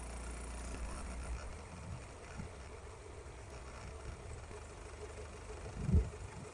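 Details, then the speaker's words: Toyota AE86 Corolla 4AGE after adjusting the throttle end-stop screw: quiet, low, even hum holding steady at roughly 900 rpm with no hunting or surging. Idle is now correctly set, ahead of TPS calibration. "Okay, nice. Now, we're at 900 RPM roughly. So, I would call that set."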